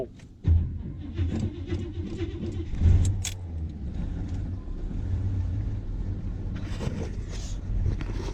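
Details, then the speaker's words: 1979 Chevy K10 pickup, cold-blooded, cold start after a heater blower motor replacement, hood open: short crank that catches after a moment, then a rough, uneven, stiff low idle with keys jangling; hard cold start. "because here's a cold start if you haven't ever had a cold start you're in for a uh in for a treat"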